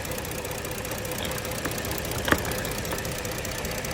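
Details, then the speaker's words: 2012 Ford Edge 3.5 V6 idling with uneven stumbling beat, solid misfire on cylinder 2 felt and heard; code P0352, all six coils already replaced; computer's coil driver transistor failed, repaired to fix misfire. "okay solid Miss on number two um you can feel it and hear it out here"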